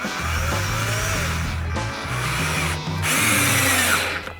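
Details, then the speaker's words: Cheap 1-star Amazon cordless drill/driver sinking 1-1/4" star-bit screws into wood: motor whines and sags, stalling in short bursts as the screw bites; no torque to bury screws, with clutch and brushes already smelling hot. "so once you get to the wood it ain't going much further but it did go in there's no torque on it I can't get it to bury it"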